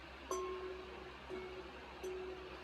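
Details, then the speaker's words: Side-by-side shotgun barrels hung on a finger and tapped for the ring test: three light taps ring clear and bell-like, no dull or hollow note; solder rib joints between barrels are solid. "those ribs are solid."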